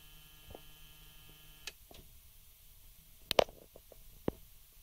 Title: BMW E60 530dA -04 Frequent wake ups with buzzing sound